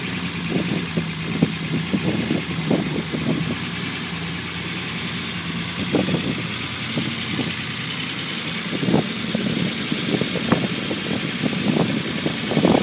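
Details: Unimog 404 first start-up after rebuild with new fuse boards and a rewire: settles into a steady, slightly lumpy idle with soft exhaust pulse and a few clicks on top; normal idle.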